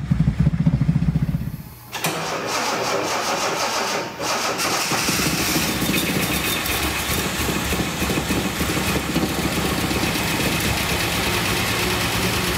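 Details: 1976 Datsun 280Z fuel-injected six, long-sitting, first start attempt with fuel pressure: about two seconds of cranking, a catch, then a steady, even run with no knocks or misses; mice-packed foam later blew from exhaust.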